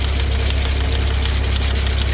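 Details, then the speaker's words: John Deere No. 5 sickle mower on a tractor PTO (shaft lengthened by welding two together), first start-up after fixing: steady low thrumming drive with even fast cutter-bar chatter, no clunks or grinding; mower works properly. "Well, as you can see, it's working. That's good."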